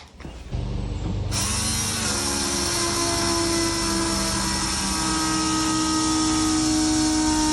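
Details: Foxbody Mustang, Holley EFI, fuel pump powered by jumping the relay without the ECU: a click then steady high electric whine holding even pitch as pressure builds to 50 psi; normal priming, fittings then checked for leaks.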